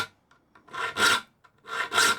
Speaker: can hear it's eliminated the vibration in the saw. So, as you can see, it works well.